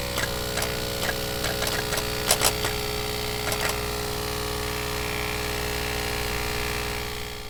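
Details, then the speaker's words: Diesel engine at idle with vacuum about -0.7, after cleaning pneumatic actuator solenoid valves: sharp irregular clicks a few times a second as the EGR valve actuates, though slowly; normal EGR valve actuation. "но очень медленно бог срабатывает хотя вакуум примерно -07 клапан egr щелкает слышно"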